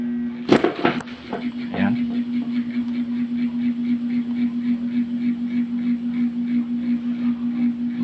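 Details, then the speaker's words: Centrix 45 W stand fan that hums and won't spin, opened up, switched to speed 3: steady low motor hum with soft pulsing flutter after the blade is spun by hand, slowing and stopping; weak run capacitor, to be replaced with 1.5 µF. "siya pero unti-unting mabagal at humihinto. So ang diagnose ko dito mga master ay itong capacitor niya ay mahina na."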